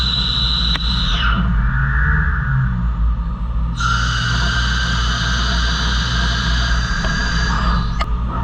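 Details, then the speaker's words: CNC turning of H900 heat-treated 17-4 stainless, roughing a large Acme thread at 250 speed: thin high tone then steady squeal as the very hard material pushes back against the tool. "Okay, so roughing, so you can hear that little bit of a squeal. That's that really hard material kind of pushing back a little bit."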